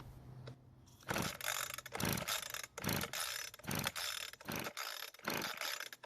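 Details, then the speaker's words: Weed Eater two-stroke hedge trimmer, air filter off, gas poured into carburetor throat, overfilled and flooded: repeated ratcheting rope pulls about once a second with no firing; flooded, hard starting. "unfortunately I've put just a bit too much gas in the carburetor so it's flooded now this will take a few pulls to get it started"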